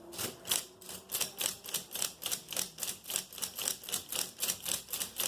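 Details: Brother 260 punch card knitting machine card reader after cleaning and lubrication: crisp, light clacks about four a second, fairly even and not harsh, quieter than before; steps cleanly and runs as it should.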